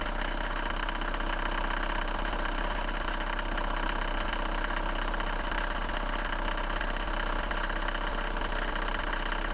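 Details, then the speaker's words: Mercedes-Benz W124 petrol engine idling after a candle was rubbed on the squeaking drive (fan) belt while running: a steady low hum with no belt squeal or chirp. "as you have seen very easy and if you do that one or the two or the two uh then the noise will be completely gone"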